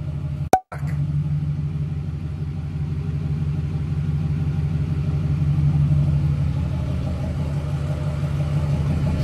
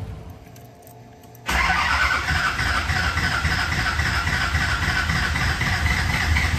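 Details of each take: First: Newly built SoCal Diesel twin-turbo 1,000hp Duramax diesel after harness re-pinned per SoCal's instructions: steady low idle with even, regular clatter, no stumbles; far better than the night before, now running normally. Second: Newly built SoCal Diesel twin-turbo 1,000hp Duramax diesel at first fire-up: catches and settles into a lumpy, uneven, loping clatter, responds angrily to throttle; cylinders misfiring from wrong firing order.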